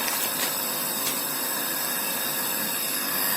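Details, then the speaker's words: Kada 850G gas compressor kit pump after wiring repair: an even, steady airy hum with a faint higher whine, no knocking, air blowing out and the kit cycling up and down. The pump runs normally. "ये कम ज्यादा कर रहा है, बिल्कुल okay work कर रहा है।"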